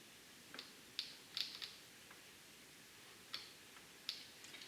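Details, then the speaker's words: 2013 Kawasaki STX-15F jet ski fuel pump, removed with the sender and bench-powered: only irregular clicks with no spinning hum; the pump is seized and stuck. "Well, that's not a good sign. I think this pump is shot. Yep. I think we're going to need a fuel pump here, fellas. This thing is stuck. It's just clicking."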